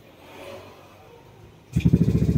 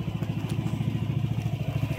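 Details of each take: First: Yamaha Nmax v2 before engine refresh, side cover opened and tensioner already replaced: quick, even clatter over the idle, louder and busier than it should be; still noisy, magneto not ruled out, source undetermined. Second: Yamaha Nmax v2 after engine refresh and tensioner replacement, previously noisy: low, even putter about twelve beats a second, no clatter or grinding; old noise gone, quiet healthy idle.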